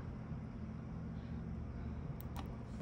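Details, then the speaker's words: HVAC unit after a fuse was replaced at the step-down transformer, with the fan running and red-to-yellow jumped to call the compressor. A steady low hum with no clatter or buzzing: the compressor is running normally. "I've got the red wire and yellow wire jumped and I hear the refrigerant"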